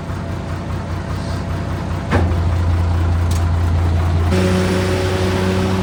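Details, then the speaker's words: M5 high-speed gun tractor on a road test after the gearbox refit. Heavy steady pull with a clean step in engine note around four seconds as the gearbox shifts promptly; the gearbox is working well. "Um, road test. Yeah, gearbox is working absolutely sweet. All gears much better."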